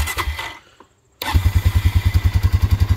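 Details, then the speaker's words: Honda Rancher ATV after battery replacement, started to test charging system; short crank, brief pause, then catches at once into an even thump about three beats per second at low idle, charging 14.46 V, normal start. "what I want to do is start it up and check the charging system"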